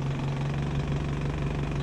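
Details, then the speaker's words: 1972 Datsun 510 with KA24DET turbo swap, after exhaust repair and swapping polyurethane motor mounts for rubber: steady low drone with uneven lumpy beat; idle still low and slightly shaky but better. "all right so it's still idling kind of low right now but I don't know if you guys can tell on camera I don't if you can tell but it's better at idle"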